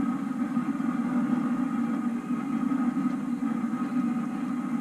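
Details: Homemade waste oil heater burner at about 730 degrees, burning vegetable oil with extra fuel just added, temperature climbing past 850: steady even roar with deep hum and faint whistle, no pulsing or sputter; normal burner operation.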